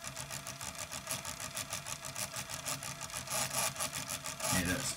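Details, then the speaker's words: Sony CFS-9900 cassette deck on rewind: busy, uneven ticking whir, about two clicks a second, over spinning reels; mechanism possibly gunged with grease, counter belt needs replacing; abnormal noise on rewind, cause unconfirmed. "What's making all that noise?"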